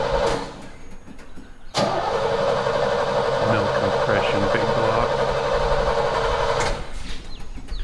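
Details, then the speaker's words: Engine in long-sitting truck Griz, ran the day before: steady even cranking about four turns a second, spinning freely but never catching; cranks but won't start, ether shot planned, compression test to follow. Cause not confirmed. "You know it runs. It ran yesterday. We'll try just a little shot of ether and see if that'll make it easy enough to at least make it pop."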